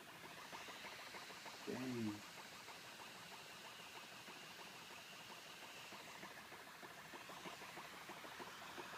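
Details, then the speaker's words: MacBook Pro SuperDrive trying to copy a badly damaged copy of an iWork CD: steady, loud, high whirring hiss with rapid fluttering ticks as the drive spins hard struggling to read the disc, until it finally finishes. "MacBook Pro going crazy. Dear God. I have an iWork CD. Put it in there. I can't hear it. It's making a really. Disc is going crazy."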